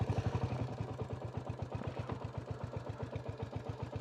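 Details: Royal Enfield Classic 350 WarHorse single at a healthy warm idle: a steady, even thump at about four beats a second, revs lifting slightly. The owner suspects a stretched, longer throttle cable fitted with touring bars and is unsure what fixed the idle.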